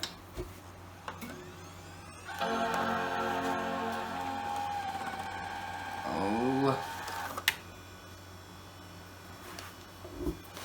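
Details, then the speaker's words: iMac G3 slot-loading optical drive with a disc already stuck inside; whirring, buzzing spin-up with a rising then falling whine, then grabbing clicks — drive suffers the eject issue. "Oh boy. There's already a disc in the drive. Well, I guess we can safely assume this thing suffers from the eject issue."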